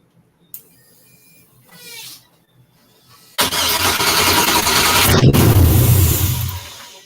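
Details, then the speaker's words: 1963 Pontiac Grand Prix with swapped GM LS engine, first start: starter spins, one loud fire, never runs on its own; spark, fuel, power and ground believed present, owner to check temporary grounds; cause unconfirmed. "you heard it fire so you know it's getting sparked you know it's getting fuel we got power I know I've got ground"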